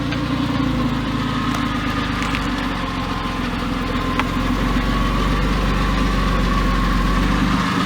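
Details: Porsche 911 996 C4S M96 flat-six idling months after earlier ticking, no repairs made; even, steady idle with no tick on top. Owner attributes earlier tick to a sticky lifter. Normal idle.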